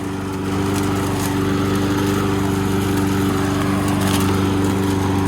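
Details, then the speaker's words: Subaru EA175V 21-inch push mower, after its oil change, driving on self-propel: steady, even drone with a smooth low hum throughout; running and driving normally, self-propel works beautifully. "How do you like that? Self-propelled works beautifully."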